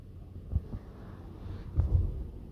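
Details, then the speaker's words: Tesla Model 3 Performance at standstill: deep groaning creaks from the front brakes when the wheel is turned to full lock while pressing and releasing the brake, as when parking; silent once rolling. Owner fixed it with Service Mode brake burnishing. "Pero es solo cuando está quieto. Mira, cuando suelto y apretar el freno y giro, que es la típica maniobra que uno hace al estacionar, pero es cuando llego al final."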